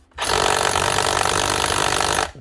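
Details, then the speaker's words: Cordless DeWalt SDS drill (DCH273 or DCH253) after a wiring repair inside; fast, even hammering rattle at steady speed, starting and stopping cleanly with the trigger, so it runs and hammers normally. "well she definitely sounds like she's hammering cover your ears for this one yep she's definitely"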